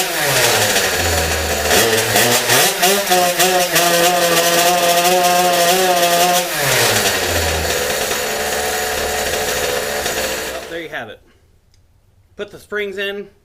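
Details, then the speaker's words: KTM two-stroke moped after fitting new clutch springs, revved hard: engine climbs to a steady high buzz then drops off with no load change and the rear wheel doesn't turn; clutch not engaging. "clutch won't even engage see when I revved the [ __ ] out of it rear wheel didn't even turn huh"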